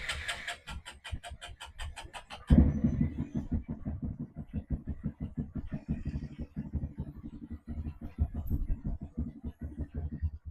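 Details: Honda Grom with a 2018 salvage engine swapped into the 2014 bike, first start after the transplant with the exhaust reconnected: even cranking pulses, then it catches and settles into a steady single-cylinder idle; it starts and runs fine.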